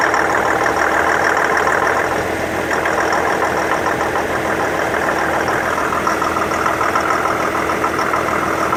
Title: Infiniti QX70 2015 Pinging Knocking Noise